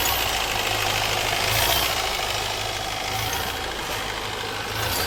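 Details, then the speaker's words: Mahindra Marazzo Delphi common-rail diesel with DRV valve socket unplugged, raising rail pressure and increasing engine noise: sharp uneven ticking knock, three to four a second, over diesel clatter; root cause faulty high-pressure fuel pump. "तो अक्सर गाड़ियों के अंदर हम Delphi system के अंदर अगर हम डीआरबी का सॉकेट निकाल देते हैं तो इंजन के अंदर साउंड बढ़ जाता है क्योंकि प्रेशर हाई हो जाता है"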